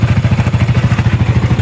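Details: Yamaha Sniper 155 VVA motorcycle with a sudden noisy engine at idle: sharp ticking clatter about eleven times a second from the top end. Cylinder head noise.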